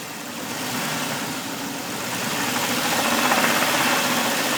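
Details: 2000 Jeep XJ idling: steady, fairly even knock about four times a second from the engine over running noise; source not yet identified.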